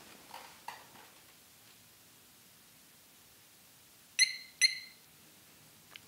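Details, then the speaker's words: 2021 Harley-Davidson Road Glide Special with a newly installed HD Smart Siren II (68328-06A), main fuse reinstalled: quick high-pitched chirps. A single chirp means alarm off, two chirps at ignition off. Siren working normally. "so that single chirp means that the alarm is off and then when you turn the ignition to the off position there's two chirps"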